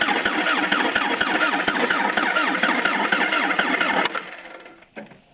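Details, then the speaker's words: 1977 Toyota Celica GT parked 20 years, plugs pulled and oil added to cylinders, battery hooked up but no gas added yet: even starter churn at about four turns a second for four seconds, never catches. Cranks fine but has no fuel. "Well, it cranks. That's a good sign. Now I can add some gas and see if it'll fire up."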